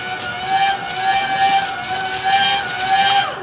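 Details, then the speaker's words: Brand-new pump on a quench-tank cooling loop using a radiator from a Chrysler engine and a barn fan: loud, high, rattly buzzing whine with no liquid sound, as the pump runs dry with no fluid in the system. "sounds like that pump's gonna die it's a brand new pump"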